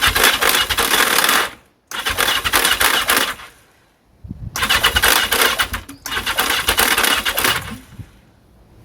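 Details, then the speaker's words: The 750 "Mac" with carbs removed cranks in bursts with surging, uneven periodic pull, very little suction and no firing. Owner suspects a faulty starter clutch isn't creating enough suction, not confirmed. "So very difficult to show, but I'm getting really very little suction."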